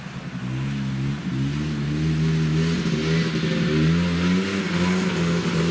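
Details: Yamaha Bravo 250 snowmobile, after cleaning Keihin carburetor that had bogged on throttle once warm: pulls up cleanly with rising steady pitch, no stumbling or bogging; normal acceleration.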